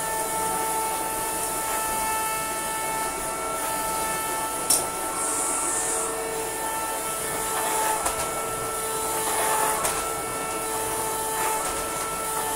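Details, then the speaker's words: Shark CV100 UK bagless cylinder vacuum cleaner, brand new, running over a rug after modification: constant high horn-like whistle over motor rush, now all the time instead of intermittently; cause suspected, not confirmed; whistling horn-like tone. "this thing sounds like a chain horn a lot of the time but it's now sounded like a chain of horn all of the time"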